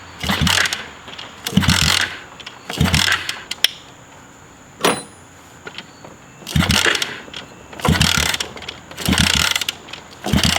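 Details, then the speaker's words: Dirt bike pulled from a lake bottom, water-filled engine with fresh oil and ethanol-free 93 fuel, first start: sharp raspy revs burst about once a second and drop back, WD40 burning off; the engine runs. "oh that's all the WD40 just burning off it guys wow this thing actually runs"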